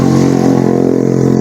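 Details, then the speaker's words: Yamaha Mio J scooter idling: a light, quick tik-tik-tik like valve tap that vanishes when revved, caused by a loose one-way starter clutch vibrating; worn flattened CVT rollers ruled out; V-belt also slipping. "Jadi pada saat motornya langsam, suara itu muncul seperti suara klep. Jadi suaranya itu seperti ini, tik tik tik tik ya."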